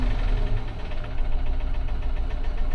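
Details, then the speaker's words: 2015 Infiniti QX80 after donor ECM installed with original EEPROM data: lumpy shaky idle with irregular low thumps, check engine light flashing, misfires on multiple cylinders; suspected compression issue, possibly overfueling after blown injector driver fuse; rough running with misfire. "I do feel a little something though. There's a little shake going on. Yeah, check engine lights flashing."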